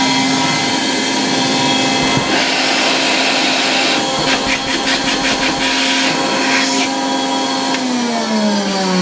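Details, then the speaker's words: 1960 Polish Alfa II vacuum cleaner plugged straight into the mains briefly, motor brushes very worn and due for replacement: steady high motor whine with airy rush, speed holding even, then falling away at switch-off; normal running, good suction. "A very nice vacuum cleaner, with really good suction power. I could easily vacuum with it here in the workshop."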